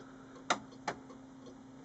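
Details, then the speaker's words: Samsung CLX-2160 printer, with earlier scanner failure and paper-feed problems, at power-on: three sharp, uneven ticks over a faint hum, no motor spin-up, only a blinking LED. Ticking at power-on, no startup, cause unknown. "Okay, I'm just going to turn on the jolly old printer. Let's have a look. Doesn't sound good."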